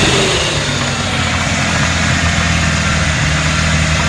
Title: Rod knock??